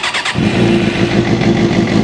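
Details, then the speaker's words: 2006 Suzuki GSXR600 after rectifier and stator replacement with a new charging kit, clutch held in; engine catches after a brief crank and settles into a steady, even idle with no misses, a healthy start. "Before we put the seat on, let me crank it up and you tell me if it is running or not."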